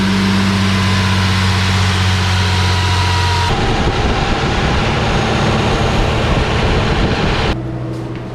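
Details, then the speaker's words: 1 Lexus IS300 driving smoothly with a steady, even idle and no stumbles, after new spark plug wires and a fixed coolant leak (coolant had reached cylinder 3) cured earlier throttle issues and misfires; owner doesn't fully trust it yet. "Right now, right now he's doing great. It's actually driving pretty smoothly, but I'm not gonna trust him."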